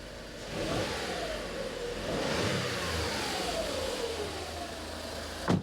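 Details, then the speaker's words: 2005 Skoda Fabia 1.2 petrol after spark plug change: engine revs cleanly a couple of times and settles to an even idle with no misfire. "yeah that sounds nice ticks over nicely"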